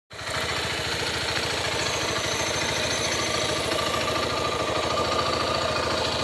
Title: cg 150 titan 2014, oque pode ser esse barulho ao acelerar?